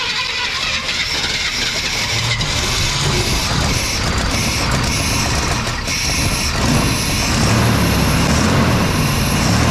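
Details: Old OBS Chevy parts truck, first start after long sitting, oil primed and fuel poured in by hand while awaiting a fuel pump: it catches and runs ragged and uneven with irregular stumbles and a clattery top end. Rough running after sitting.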